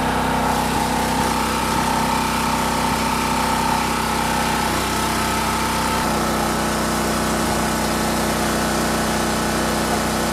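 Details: Champion 4000-watt generator curb find, previous carburetor rebuild, fresh non-ethanol fuel, choke on: steady even small-engine buzz settling to a slightly deeper note; runs smoothly, holds speed.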